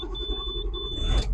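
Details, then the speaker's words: Bus engine first start after sitting parked two days, cool morning: low rumble catches and settles into a steady run while a high brake-pressure warning beep sounds in bursts until air brakes build pressure; starts fine. "oh there you go that's good to hear I'm glad to hear the thing"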